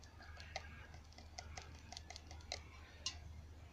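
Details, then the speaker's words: Clogged fuel injector from an MZ21 Soarer, clogged 12+ years, bench-pulsed with an eBay cleaning kit and carby cleaner: irregular sharp clicks without settling into free ticking; still blocked. "No, that one's still blocked."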